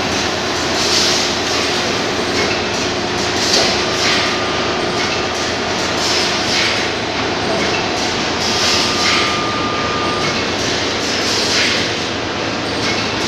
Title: Carriage Down Vibration Problem